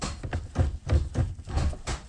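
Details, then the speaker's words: AWD hatch running with its transmission mount not fitted: dull, heavy low thumps about three a second as the gearbox leans and hits when shifting; otherwise it shifts fine. "and I mean it works good except for that noise. I don't have the mount on, so transmission kind of leans and it hits,"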